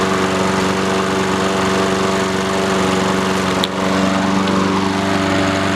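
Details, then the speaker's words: Free roadside Honda-engined lawn mower, started after the fuel valve was turned on: steady even buzz at constant speed with no stumbles or knocks; running normally. "sweet cool that's sick it works"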